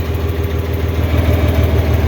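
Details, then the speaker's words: 4020 LP propane tractor just started (slightly flooded), idling on vapor before warm-up. Deep, even idle with a steady low thump and no misses or knocks. It runs smoothly on vapor; the liquid valve is for heavy work once warm. "okay so now you're up and running [Music] you're running on vapor for most light tasks that's just fine you can run on vapor all day long however for heavy work"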